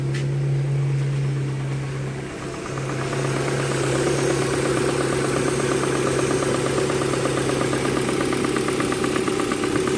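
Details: Proton Campro engine at idle: uneven, lumpy idle with coarse fluttering rattle and low hum from a faulty intake manifold flap (AIFM), causing power loss and high fuel use; fixed by changing the manifold.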